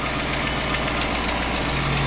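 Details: 2009 Chrysler 300C 5.7 Hemi at idle, 60,000 km: light quick ticking over the V8 rumble, only on the driver's side exhaust manifold. Owner suspects a broken manifold bolt; heat shield bolts tight. Unconfirmed.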